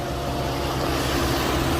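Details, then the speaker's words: Infiniti G37/G35/Q40 at idle, AC off, coolant level good and not overheating: steady whooshing radiator fan roar, louder up close at the fan; fan runs nearly all the time, faulty engine cooling fan module to be replaced. "but it's on right now you hit it it's not normal coolant is good feels good here see here we're getting louder ac sliming on it's not overheating you still hear it"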